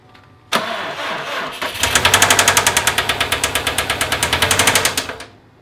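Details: Subaru engine with jumped timing, suspected bent valves: the starter cranks in fast, uneven pulses about four a second, but the engine never fires; knocking was heard at the throttle body.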